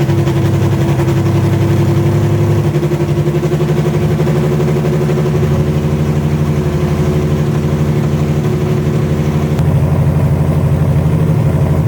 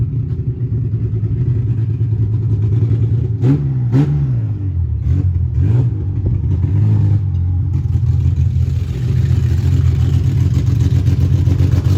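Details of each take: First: Widebody BMW E30 on MegaSquirt ECU with fuel pump rewired to factory wire, steady low petrol idle with even exhaust pulse and slight pitch hunting, no knocks or ticks; fan works, fuel pump cycles properly, timing not yet set; normal idle. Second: Widebody BMW E30 on MegaSquirt ECU, test drive: low uneven engine note surging through ragged revs under throttle; owner says it has tuning issues; rough running on untuned map.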